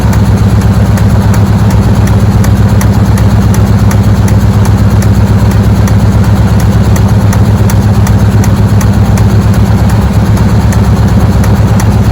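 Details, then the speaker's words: Chevy squarebody with a 350 small block Goodwrench engine that uses coolant: steady V8 idle with a light regular tick about three per second. Owner suspects a sticky valve. "I think it's got a sticky valve can you hear that yeah probably it"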